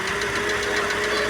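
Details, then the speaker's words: Ford Fiesta Supercharger engine running irregularly, consuming lots of water, suspected head gasket problem: fast, sharp ticking from top of engine, about five per second, over rough idle. "estamos com esse Fiesta aqui motor funcionando irregular aí com batidas aí deo na parte de cima e ele funcionando com dificuldade segundo o cliente ele tá consumindo bastante água bastante barulho aí na parte de cima né"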